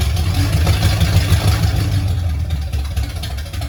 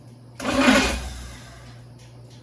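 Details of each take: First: 1969 Pontiac GTO barn find, Pontiac 400 V8 with TH400 and Quick Fuel 750cfm carb, first start after 17 years: deep V8 rumble settling from a light rev into a fairly even idle, no obvious knock; runs pretty well. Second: 1969 Pontiac GTO barn find with Grand Prix engine, TH400 and Quick Fuel 750cfm carb, cranked after sitting 17 years following wiring work; catches with loud rough burst, fades, fires again, a little smoky and rough. First start after long storage.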